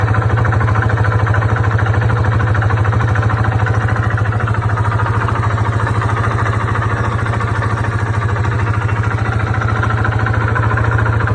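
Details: 2002 Yamaha Warrior 350 ATV idling: steady, heavy, deep knock every firing stroke, seeming to come from the lower end; rides well, cause unknown.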